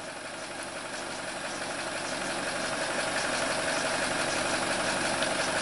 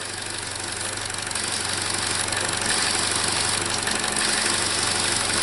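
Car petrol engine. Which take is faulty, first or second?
second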